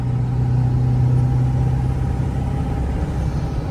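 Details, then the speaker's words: 7.3 Powerstroke diesel truck pulling uphill, part throttle, after fitting a KC 300X Gen 3 stage 1 turbo, Riffraff up-pipe kit, deleted pedestal and boost fooler: deep drone with smooth turbo note, quieter, no up-pipe ticking under load; normal turbo spool. "See if you can hear it. This thing just pulls like wow. It like that was that wasn't even to the floor. That was just getting into it."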